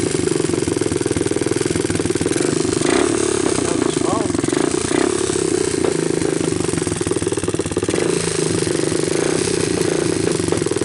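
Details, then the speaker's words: 1988 Honda TRX200SX Fourtrax ATV, cold first start after years abandoned, new PZ27 carburetor fitted, on choke with idle raised, camera close to hear valves: fast even single-cylinder chuff with light steady valve clatter; normal cold idle on choke. "I wanted to bring the camera a little closer so that you guys can hear the valves and all so there we are turn the idle up a little I do the choke guys"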